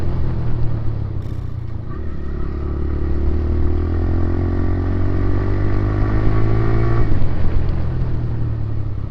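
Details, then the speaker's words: TVS Raider 125 single-cylinder motorcycle: smooth pull-up in a low, deep, even thrum, pitch rising with speed, no knocks or rattles, compared against owner's 28,875 km bike; normal engine running. "तो इसका sound में वही है थोड़ा पतला पतला वाला feel लाता है जैसे वो नया बाइक में होता है ना"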